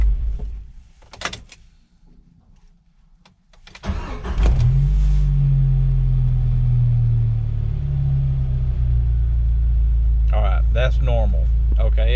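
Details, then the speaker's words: 1997 Jeep Wrangler after restart: catches and settles to steady even idle; earlier rpm fluctuated and wouldn't drop below 1000 at stops, owner suspects failing throttle position sensor and plans replacement. "finally settled in and went back to normal but anyway i don't trust it"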